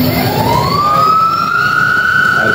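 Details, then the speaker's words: Electric motorcycle hub motor on Votol controller, set to speed 3 (high, H): clean whine climbs in pitch then holds high and even under throttle, RPM rising with current drawn; normal motor whine under throttle. "Nah, sekarang kita lihat perubahan RPM-nya dari suara terdengar berbeda 11.000 sekitar 122 lebih kurang arusnya juga lebih besar."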